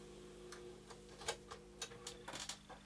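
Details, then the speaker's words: Rebuilt Commodore 1571 floppy drive with a substitute Bulgarian CM630P 6502 CPU, reading a double-sided game disk and listing the directory fine: soft irregular head-stepping ticks over a faint steady motor hum; normal disk read. "Nagyon szépen listázza magára a Directory-t, tehát ezzel semmi gond nincs."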